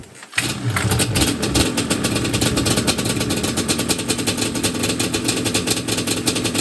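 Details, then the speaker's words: Yamaha Banshee two-stroke twin just after a carb clean and rebuild, on fresh 93 octane with choke out and not in gear: fires right up, then a brisk patter idling slightly high. Air screws are 1 turn out and the idle screws need lowering. "Not bad. So she fired right up. Sounds like the idle could be adjusted a hair."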